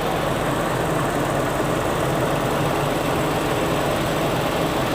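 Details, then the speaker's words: 2000 Toyota Kijang Krista 1.8 EFI warming up, temperature needle starting to rise: steady even idle hum, no knocks or misses, expected to get quieter once at temperature; normal warm-up idle. "kalau udah nanti kalau udah tercapai dia akan lebih tenang suara mesinnya kita lihat lagi nah ini udah mulai naik levelnya"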